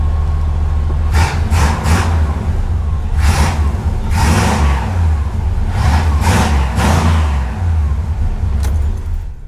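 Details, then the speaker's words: 1993 Chevy Caprice after performance chip install and timing set to 6° BTDC: fires right up and blips cleanly several times, settling back without hesitation, stalling or rough idle; free-revving and healthy. "like she runs good no hesitation no stalling no rough idle but fires right up now my goodness that's new typically it cranks for a while"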